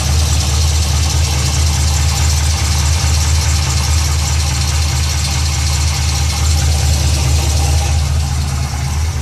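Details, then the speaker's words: Pontiac GTO at idle: quick, steady knocking about two per second over a deep rumble, heard from the bottom of the engine towards the mid pipe; the source is not yet pinned down. "This is the noise I was talking about. It's coming from the bottom part of the engine towards the mid pipe."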